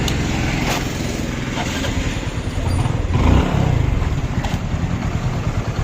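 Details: Hero Glamour motorcycle engine after piston ring fitting: deep steady thump rising smoothly with a throttle blip and settling back, no tapping or rattle; running healthy, noise problem solved.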